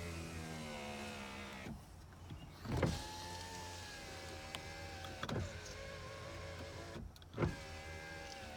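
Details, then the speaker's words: 2001 Toyota Camry 4-cylinder, 129,021 miles, non-running car with engine apart, power windows tested: three smooth motor whirs, each ending in a soft thunk at the stop, no grinding or straining; windows work fine. "Looks like everything works well there."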